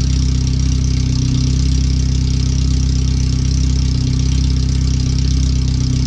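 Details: First startup after replacing the header and fuel filter and moving the O2 sensors and wiring; checking closed loop before the rest of the exhaust is fitted. Deep, loud, steady idle pulsing about three times a second with raw bark. The computer reads 5–7% rich.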